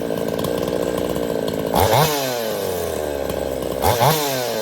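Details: Craftsman S205 chainsaw, freshly ported, on its first start with the air filter still off: an even, buzzy idle and two quick throttle blips that rise and fall cleanly without stumbling. The saw sounds good and runs healthy.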